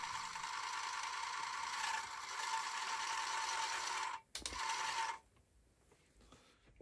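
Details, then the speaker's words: Amiga A500+ floppy drive, after socket repair, reading an original game disc: steady whine with rough irregular ratcheting about three times a second, then stops; disc suspected damaged, not confirmed. "that sounds like pure horror. So, something tells me all these discs potentially are damaged."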